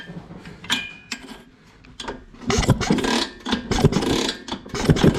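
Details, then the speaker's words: Vespa/LML hybrid scooter project, kick-start spark test with the ignition wires reconnected by guesswork: irregular kick-start strokes about once a second turn the engine over, but it never fires; no spark even after changing the plug, pointing to a faulty ignition coil/CDI. "Whoa! No, it doesn't. Typical. Okay, let's try a different spark plug."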